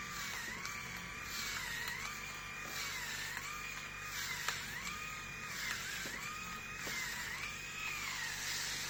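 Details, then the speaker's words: Grundig MS7640 electric shaver, new, on its first use shaving a day's head-hair stubble in a 28.7 °C room: a high whine that sags with each stroke, about every 1.5 seconds, then recovers. The motor seems to slow under load; the owner feels it struggles more than his previous shaver. "so i don't know how much it was how much you could hear but it seems like it's struggling i mean it sounds like it's struggling with my hair what i shaved yesterday"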